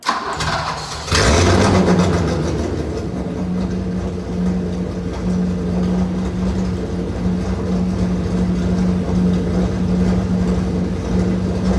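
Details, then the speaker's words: Old engine just after a timing belt replacement and oil change, first startup: fires after a second of cranking and settles into a loud, coarse, uneven run like a demolition derby car, with leaks seen and the fuel line later bursting; rough running. "I'll be honest. This kind of sounds like a demolition derby car."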